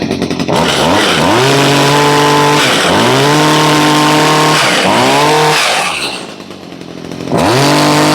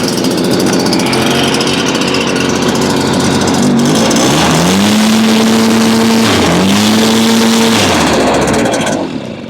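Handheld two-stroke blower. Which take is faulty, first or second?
second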